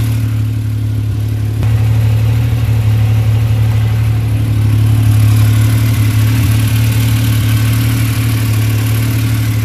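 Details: Yamaha YXZ after fitting "performance" spark plugs and a top-speed run: engine overheated and ticks about four per second over a steady drone, barely audible cold but louder as it warms, shaking the machine; owner suspects valve tapping.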